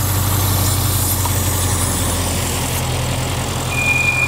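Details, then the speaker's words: 2014 Bentley Continental GT at idle, low on oil and consuming it: a thin, high, steady whistle from excessive crankcase vacuum pulling air past seals, reed-like; the cause of the vacuum still needs repair. "also that noise you hear is from the strong vacuum pulling air past little seals here and there it's just so loud"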